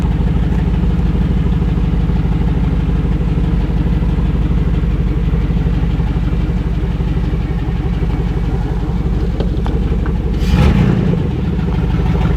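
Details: LS V8-swapped rear-wheel-drive Celica GT-SS on its first start in the car: loud, deep, steady idle with no misses or knocks and a short rev bump near the end; no oil leaks, smoke or fire, running healthy.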